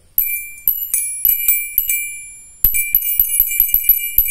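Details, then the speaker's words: Turn signal chime unit for an old car, an internal seesaw relay striking metal: bright bicycle-bell dings, sparse at first then about five per second; working normally. "di dalam ini ada mekanisme relay jungkat-jungkit yang memukul besi sehingga menimbulkan suara kayak"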